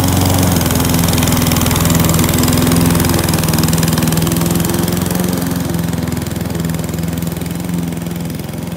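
A steady mower engine drone that sags and loses pitch and loudness as it pushes into heavy grass, so it is bogging under load.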